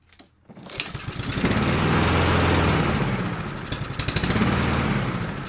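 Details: Husqvarna LC 221RH mower, Honda GCV 160 engine, after fire repair with a cheap knockoff carburetor: the engine catches, revs, then sags and picks up unevenly. Owner suspects a jet is too small or clogged; uneven running.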